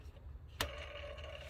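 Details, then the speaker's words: Pulley spun by hand next to a worn vacuum pump: dry whir with a thin steady ring from the idler/tensioner pulley bearing, where a good pulley is silent; pulleys and belt tensioner due for replacement. "the sound of the pulley should be like no sound but now police and tensioner just one second you can hear the sound"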